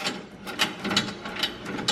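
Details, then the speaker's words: Toyota Tacoma spare tire hoist chain hanging loose under the rear, swinging on bumps or sharp turns: light, uneven metallic clinks about twice a second as the chain rattles; fix is a simple chain mod to stop the noise. "But also, it moves around. See that? And when it does that, it makes noise."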